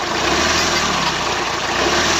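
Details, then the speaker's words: Second-hand diesel car in for major service: at idle the engine runs rough and lumpy like a tractor with occasional stumbles and slightly fluctuating rpm; it is misfiring, with some rattle from the timing adjuster, and the air filter was seen shaking. "বাস হ'ব মানে মিছ কৰি আছে engine অলপ অলপ মিছ কৰি আছে"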